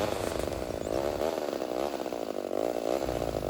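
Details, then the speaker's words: Homelite Super XL 130 vintage chainsaw, rebuilt, first start without priming: high, wavering two-stroke buzz that hunts and won't settle; saw running lean, tuning shifting as the air filter dried out (a clogged filter behaves the same). "So what you're seeing here is this saw is running lean"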